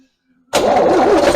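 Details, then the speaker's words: Old diesel started for the first time in about two decades after fuel bleeding; catches straight away with a loud rasping chuff at the back where an exhaust bolt blew out, causing an exhaust leak. "Yeah, indeed. I've got a bit of a blow at the back here."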